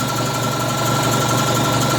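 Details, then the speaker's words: Air compressor rated about 7.4 cfm at 90 psi, after repair of a seized head: fast even pump thumping over a steady motor hum, no knocks or squeals. Seals better with oil and builds pressure quicker than before it seized. Running properly. "think that the air pressure with the oil on there now is sealing up better and it's uh you know i just thought it was starting to have more issues getting more out and uh there's obviously built up pressure a little quicker than it had before it seized up with that being jammed up"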